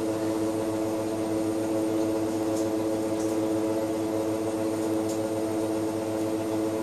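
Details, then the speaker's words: BMW E31 840Ci EV conversion testing inverter idle control with the automatic gearbox, shifting into reverse; steady mid-pitched electric hum with the gearbox loading, no grinding or knocking; normal idle. "let's do that again you can hear the Box loading"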